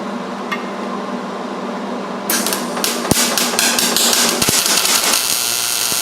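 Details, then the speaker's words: MIG welding roll cage tubing with too little shielding gas: a harsh, uneven crackle and popping instead of a smooth steady sizzle. It leaves a porous, bubbly weld, as welding in windy conditions can. "Okay, so before I put it away, I figured we might want to just show you what it looks like when you don't have enough shielding gas."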